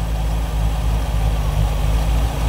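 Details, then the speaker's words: Rover V8 3.9 L after distributor replacement, with idle raised from about 300 to about 800 rpm and timing set near 5 degrees by strobe light: restarted, it gives a smooth, even, low idle rumble with no misses or knocks. "let's see if we can get this car cranked up again there we go that sounds pretty good"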